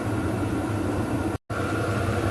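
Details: VEVOR 8kW diesel heater in run state drawing 25–53 watts: steady even burner-and-fan roar, no pulsing or sputter, smooth constant hum; normal running.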